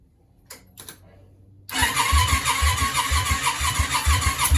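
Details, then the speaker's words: Yamaha Virago 535 project engine, powered from a battery, cranking in uneven bursts about three a second with sputters that never catch; turns over easier than expected, mixture being adjusted; cranks but won't start. "all right something's not quite right I'll bring you back right s off to the mixture again let's see"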